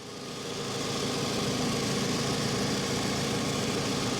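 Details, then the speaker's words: 2007 Toyota RAV4, 180K miles, salvage title, at auction walk-around: even, steady idle with no knocks, misses or whine, about as smooth as it gets; no exhaust leaks, though it needs a battery. "somebody else came by and started up without even raising the hood that thing's about as smooth as you can get"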